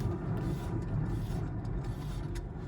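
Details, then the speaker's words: 2012 Ford Focus, raised wheel spinning on the side the computer was throwing a code for: low, rough, gritty rumble; the wheel bearing is worn out and needs replacing. "Yep, that thing's cooked. So I'm gonna get that wheel off, bust that thing out, and let's see how bad this is."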